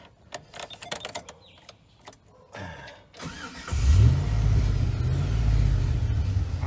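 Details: V8 restarted after replacing fuel-wet spark plugs on misfiring cylinders 1, 3 and 6: brief crank, then a steady, even low rumble with no stumble or miss, misfire fixed.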